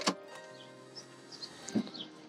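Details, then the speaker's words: Audi TT Mk2 with factory 3.2 VR6 (R32) and custom valvetronic exhaust, recorded in the car interior: a few short, faint electric whirs as the exhaust valve actuators open. "Now, now if you can hear that, that's the valves opening."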